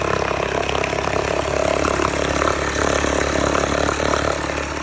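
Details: 1969 Johnson Sea Horse 1.5 hp two-stroke outboard, running for the first time in years, off choke, after water was added to the lower end: steady fast idle with even firing and no misses or rattles. Normal running.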